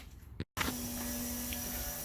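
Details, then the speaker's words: Turbo LS-swapped Cadillac Fleetwood, first start attempt after filling trans fluid and oil, jump box connected: switch click then steady mid-pitched electric hum holding level; normal fuel pump priming. "pumps on let's see what we get"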